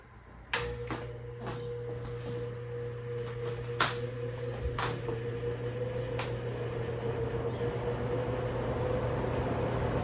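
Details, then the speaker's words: Vintage blue GE 2-speed fan with spin switch, high likely first, starting up: switch click, then low motor hum and soft whir rising smoothly as blades come up to speed; normal running. "So again, we have a spin switch, not a snap switch, and if I remember correctly, high is first."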